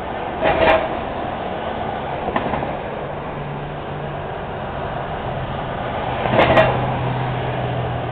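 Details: Heavy metallic clunks as each car rolls over a Montreal street manhole cover amid passing traffic; loose cover rocking in its frame, repair required.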